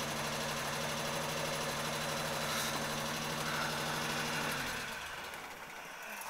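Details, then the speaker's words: Triumph Herald 13/60 engine, cold start after sitting several days, idling on choke; temperature gauge only creeps just above the first section. Fast, even idle with steady low hum, no misses or knocks, then shut off; choke works, healthy. "it kind of just creeps above the first section at cold and that's it really so um yeah it's that's it really I mean choke choke works"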